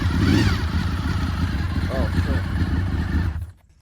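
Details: 2003 Honda VFR800 (5th gen) V4 on its first start after 8 years of storage, with repaired fuel tank, catches and holds a quick, slightly lumpy idle for about three seconds before shutoff. What seems to be water drips from the exhaust afterwards.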